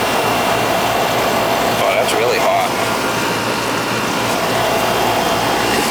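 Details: Older central AC outdoor unit with TXV: steady even fan roar, no rattles, grinding or cycling; condenser running normally, subcooling where it should be.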